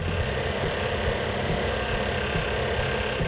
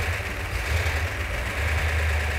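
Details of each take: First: Freshly built 340 V8 on first fire-up after sitting about a year, running rough on about six cylinders with an uneven, stumbling rumble; compression test showed low compression, possibly rings stuck on pistons. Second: 1971 Plymouth Cuda 440 six-barrel V8 with ballast resistor ignition, after returning from metal repair: steady low burble, even unbroken rhythm, no knocks or misses, quieting as it runs; normal idle.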